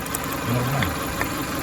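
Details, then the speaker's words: 2000 Toyota Camry four-cylinder idling with cylinder 3 misfire (P0303): uneven, stumbling idle with irregular knock; swapping injectors 3 and 1 moved the misfire to cylinder 1, confirming a bad injector. "teníamos que el cilindro número 3 está fallando pero lo que hicimos fue cambiar el inyector de la posición 3 alumno para comprobar si el inyector es malo"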